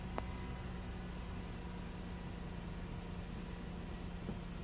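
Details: 2002 Toyota Camry after replacing the A/F ratio sensor to cure a lone P1135 check-engine code: quiet, even idle with a soft steady hum, no misses, ticks or hunting; engine running smoothly.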